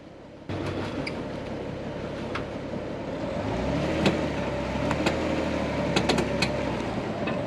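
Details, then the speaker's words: Jeep with new gearing and front lockers, recorded by a camera on the winch: irregular sharp pops and cracks while crawling in rear-wheel drive with a broken front axle shaft, attributed to the U-joint tabs. "you guys can probably hear that popping sound i got my gopro mounted to my winch and uh yeah so i've never broken an axle before you know on the trail"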